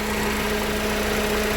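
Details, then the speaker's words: 2013 GMC Terrain after engine rebuild following broken timing chain and balance shaft damage, about 15 minutes after start, warm: smooth, even idle with a steady low hum, no knocking or leaks; oxygen sensor issue still to diagnose. "for the most part the bulk of it is we're good we're good it's not knocking"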